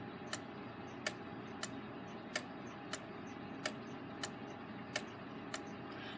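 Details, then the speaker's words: Gilbert long-drop octagon wall clock after rebuild, springs not fully wound, pendulum rehung: alternating long and short tick gaps; out of beat, lingering longer on the exit pallet; escape wheel possibly slightly out of round. "can you hear that sounds like it's lingering a little longer on the exit palette than the entry palette"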